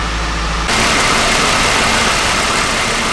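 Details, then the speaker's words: Car just jump-started from a donor vehicle, now idling: steady, even idle with a constant hum, no misses, knocks or stumbles; engine running normally. "obviously we got the vehicle fired up"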